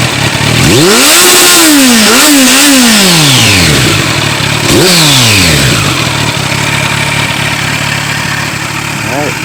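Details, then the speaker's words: Kawasaki Z900 motorcycle after installing a Delkevic Mini 8" carbon fiber slip-on exhaust; starts and blips up and down several times with a deep crisp exhaust note, settles to even idle, sounds better, healthy. "Well, I hope you guys enjoyed this install, and it sounds a lot better. What do you think?"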